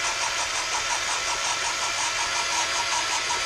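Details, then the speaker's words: Jaguar MKII engine rebuild, cylinder head valve lapping: gritty, hollow scraping pulsing about three times a second with a ringing echo that goes quiet once seated; here the valve face hasn't seated yet. "Hear it going, and then it gets very quiet. It loses that echo hollow sound. Pull it up and back in again."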